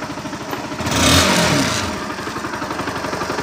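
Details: Honda NS160 motorcycle engine revving: revs climb and fall back cleanly with an even firing beat and no knock or clatter, sounding healthy; the engine had been noisy from running low on oil.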